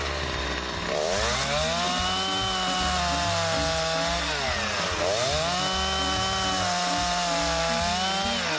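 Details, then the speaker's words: Two-stroke chainsaw test-cutting wood after its top and side cutters were filed, with the depth gauges left unfiled: a high buzz holds steady in the cut and dips and recovers between passes without bogging, cutting fairly well. "まあまあよく切れたので、今回はねデプスゲージを削るのはやめておきます。"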